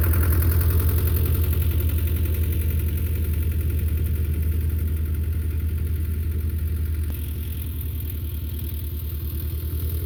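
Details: Belarus 250 tractor, 2-cylinder air-cooled diesel, sat for years, running again; during PTO and three-point test, deep regular thump at steady speed, slight level drop; normal running after repair.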